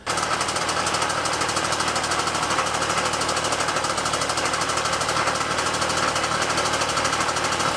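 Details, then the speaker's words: Freshly built Puch Maxi 50cc moped with a Treat kit cylinder: buzzy, uneven, hunting high revs, and it runs only with the choke on. Carb cleaner spray found a lean air leak between carb and intake, to be fixed with an O-ring. "I immediately start thinking that there's an air leak so I'm gonna do the old tried-and-true method of just spraying some carb cleaner around the car to see when it you know you'll either hear it bump up or it'll just kill it a hundred percent"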